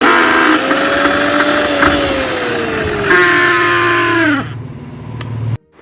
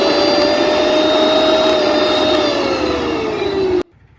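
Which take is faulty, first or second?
first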